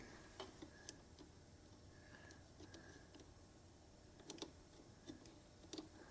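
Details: Yamaha Big Bear quad with solenoid just replaced, jumped via solenoid, rough switch; only faint irregular single clicks, no cranking; starter clicking, no crank; connections suspected, bad starter doubted.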